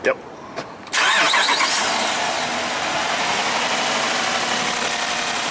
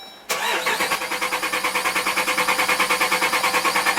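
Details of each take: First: 2012 Jeep Grand Cherokee Overland, Hemi V8, intermittent crank-no-start with no fuel pump feed; fuel pump jumpered directly from battery positive, bypassing the TIPM: brief crank, catches at once, settles to a steady even idle; normal start and idle. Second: 2012 Jeep Grand Cherokee Overland, Hemi V8, intermittent no start: steady starter cranking about three compression beats a second, never catching; no fuel pump feed or pressure from a faulty relay circuit, TIPM suspected.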